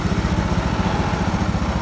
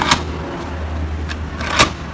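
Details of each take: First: Carbureted automatic scooter after CVT work, where non-original parts were causing friction noise: small single settles into an even, quick putter with no rattle or scrape from the belt case; CVT noise gone. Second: Carbureted automatic scooter that makes a noise when started: low engine drone with scattered rough clicks and knocks from inside the CVT case.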